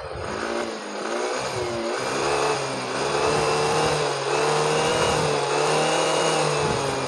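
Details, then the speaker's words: Yamaha Mio Soul GT 125 after fixing hesitation on throttle (fault code, O2 sensor and TPS setting reset): engine revs up and down cleanly with no stumble; throttle response back to normal; normal revving. "hai hai ngomong-ngomong tarikan motor sekarang sudah responsif sudah normal kembali"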